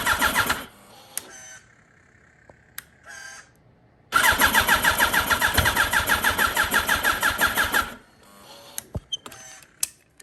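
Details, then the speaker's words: Wrecked 2006 Yamaha R1, rolled over, not run in a while, on a 2005 R1's battery and tank, even quick starter cranking with occasional cylinders firing but never catching; keeps draining battery, cause unknown, owner blames disuse and crash. "Alright, so it wants to start up, I think. Not sure what's really going on. I think it's just because it hasn't ran in a while and it was in a really bad accident."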